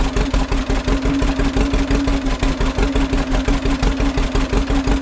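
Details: 1936 John Deere A two-cylinder tractor, just started with compression-release petcocks open, throttle halfway, choke off, being readied for plowing: steady, even putt-putt of about three firing beats a second with no misses or knocks; clean normal idle.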